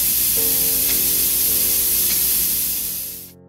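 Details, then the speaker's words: Airbrush spraying plain water: steady hissing spray with a rhythmic pulsing in the airflow, unlike the smooth sound of a good brush; air leak at the head cap or nozzle cap, threads may need wax sealing on older airbrushes. "(Airbrush से बहने वाली स्पंदनशील वायु की ध्वनि) उस स्पंदनशील ध्वनि"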